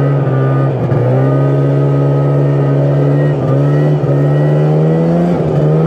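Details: Yamaha Phazer 2 snowmobile two-stroke after a broken motor mount cracked the cases, leading to case swap, full engine, carb and clutch rebuild; no longer blows belts. Clean revving, steady buzzing tone rising smoothly and holding even; normal, healthy running.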